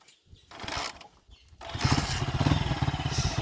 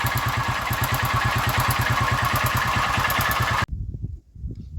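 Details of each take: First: Honda Titan motorcycle after engine rebuild replacing connecting rod, cylinder parts and rod bearings to cure earlier tappet and rod noise: after some handling it catches and settles into a steady putter with no knock; bottom end sounds healthy. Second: Honda Titan small single-cylinder motorcycle at idle: steady clatter of about three knocks a second over the exhaust, then shut off; tappet noise and rod knock, blamed on running old oil.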